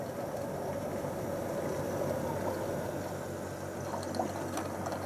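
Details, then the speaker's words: John Lewis JLTDH15 condenser dryer running with a full, un-emptied condensate tank: continuous watery gurgling and churning with a low pump hum; pump just recirculating water because the tank is full. "can hear it gurgling away."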